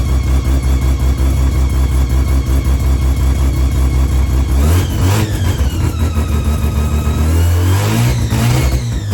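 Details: Customer car during a timing check before going home to Taupo: timing where it needs to be, sweeps up smoothly through two clean revs and settles to a steady idle, no knocks or misses; normal revving.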